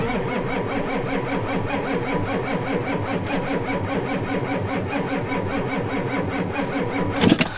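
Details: Ford F250 7.3 IDI diesel at 12°F, cranking on ether after glow plugs: laboured even cranking at about four to five strokes a second that never fires; batteries too weak, and owner suspects fuel gelled up.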